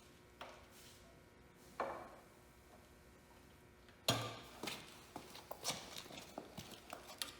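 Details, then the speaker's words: Hercules 12HP antique hit-and-miss engine fired up first try; sharp pops and clanks irregular, sparse at first then about once a second as it fires and coasts, running normally. "so okay well we lucked out she fired right up on the first time seemed to be running good"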